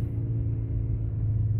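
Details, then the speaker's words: 2003 Volkswagen Golf after clutch, front suspension and axle work, original OEM axles reinstalled replacing aftermarket ones: steady, even engine drone at 3,800 rpm in first gear, no vibration; previous 3,800–4,000 rpm vibration solved. "so right away off top i'll bring it up to 3 800 rpms uh in first gear because first gear i made the most vibration so now we're here is smooth as a baby's butt"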